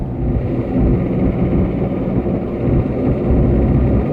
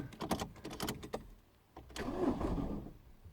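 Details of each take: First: 2009 Ford Fiesta Mk7 1.4 TDI diesel, 5-speed, on the road after starter motor and earlier fuel injector replacement: smooth even low drone under road rumble with no knocks, misses or whine, engine running normally. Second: 2009 Ford Fiesta Mk7 1.4 TDI, after injector replacement: quick run of dry clicks, pause, then brief labouring crank as it struggles to start; faulty starter motor suspected, being replaced with a second-hand one; starter clicking with weak crank.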